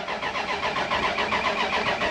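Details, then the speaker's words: Dodge Ram 1500 project truck, battery reconnected after towing: steady rhythmic cranking with faint puffs, seems to want to fire but never catches; owner suspects it needs fuel, unconfirmed. "i think she needs some gas so i don't think we need to jump it which is actually what i was gonna do"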